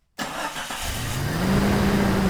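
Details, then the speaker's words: 1996 Jeep Cherokee XJ after oil change, distributor and rear main seal work, and a torque wrench flung off the motor, timing now right: catches cleanly and settles into a steady, even idle with no misfire or knock. "I'm very happy right now. It's running great. Timing's right."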